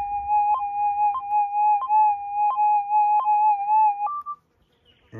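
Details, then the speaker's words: Minelab GPX 6000 metal detector just after startup: steady high whistle with faint top note, short regular chirps about three per second; normal threshold tone. "over here is your high sensitivity you'll listen to the threshold"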